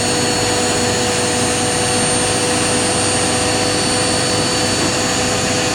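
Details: Indesit IWC71452 1400 rpm washing machine, free, final spin ramping from 800 toward 1400 rpm: loud, even rushing whir with steady hum, no thumping or grinding; normal high-speed spin.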